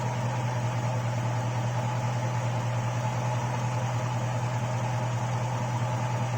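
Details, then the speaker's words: GM V8 with stock GM hydraulic lifters (third set, about 12–14 hours run time) and 5W-30 synthetic oil, fully hot after driving on an 89–90°F day: steady idle with a light, fast tick. Lifters get noisier as the oil heats and thins. "the hotter it gets the hotter the oil gets the thinner the oil gets the more you hear them so anyways uh right now I've got five weight 30 synthetic oil in there and so this is just another update of what they sound like"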